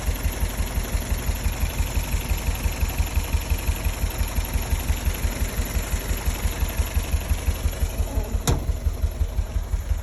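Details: Toyota MR2 at idle: steady idle with a regular pulsing thump roughly twice a second, evenly spaced; abnormal idle noise, source not pinned down.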